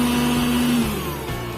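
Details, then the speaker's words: Philips blender after replacing a broken, burnt motor connector that stopped the blade turning; short steady motor hum, even tone, no rattle or grinding; spins up and runs smoothly. "just turn it on, friends, it's already spinning, you have to don't jump or break."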